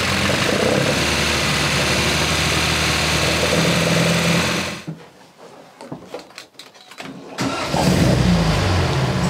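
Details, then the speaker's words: MGB with Lumenition optocoupler electronic ignition, after fitting a new ignition module: the engine runs evenly, cuts off, then catches immediately on restart and settles into a smooth, steady idle. Normal cold start, ignition fault fixed. "this is exactly how it should sound like it starts immediate so with the new ignition module it seems that things are now fixed"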